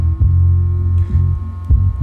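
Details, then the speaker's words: Rockford Fosgate P3 subwoofer after fixing its common rattle by gluing and drying overnight, tested at low volume: deep bass pulses play cleanly with no buzz or rattle. "I'm actually pretty happy. No noise."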